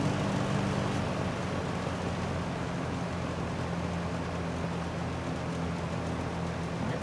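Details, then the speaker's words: 1973 Lakewood S-23 fan, 2.4 amp motor, first run, on medium: steady airy rush over low even motor hum with a faint light grill rattle; runs smoothly. "sounds good. There's a little bit of grill rattle."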